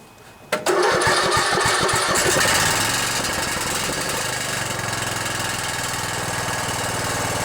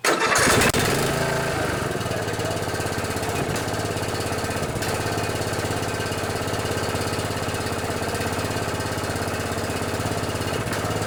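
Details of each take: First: Riding mower with a single-cylinder Intech OHV 17.5 hp engine catches and settles into a steady run with a loose tinny buzz on top; the muffler is rattling, otherwise it sounds good, and a fix is planned. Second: Murray riding mower repowered from flathead to Briggs Intek 14.5 industrial commercial OHV single: quick start, then steady even thump with smooth exhaust note, no knocks or misses; normal running.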